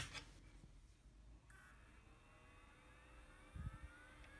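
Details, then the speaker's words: Lorex 8-channel PoE 4K NVR after swapping in a Noctua NF-A4x20 FLX 40mm fan, microphone right next to it: fan essentially silent, only a faint high coil whine from the board over low room hum. "you're hearing is the coil whines from the actual components of the coil. This fan is literally silent."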